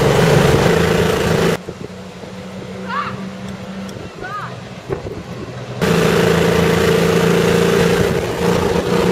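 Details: CVR(T) Striker FV102 Swingfire tank, August 2010: engine runs with an uneven, lumpy beat and dropped pulses; misfiring badly, caused by a stuck valve; engine later replaced.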